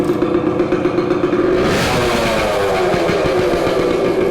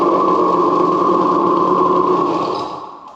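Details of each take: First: 1970 Suzuki TC-90 two-stroke run with exhaust baffle removed for cleaning: crisp ring-ding rising and settling with throttle, louder and raspier than normal; loud unbaffled exhaust, owner checking whether it runs better. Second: 1970 Suzuki TC-90 two-stroke restarted with oven-cleaned baffle reinstalled: even buzzing note holding steady, then dying away at shutoff; runs cleanly, normal running.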